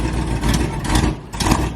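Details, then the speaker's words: Dodge Charger R/T V8 on its first start after switching to E85 for a tune: idle rumble with sharp raspy puffs from an exhaust leak in the headers. "Sheesh. That sound that you guys heard was an exhaust leak in the headers."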